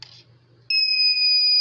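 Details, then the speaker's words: Intelbras XNB 720 BI UPS, dead after city power drops, powered from bench supply in place of battery with amperage raised: clean steady high beep after a short pause as it starts normally; likely just a bad battery. "ligar aqui turma é que eu tô vendo com uns agora ele ligou"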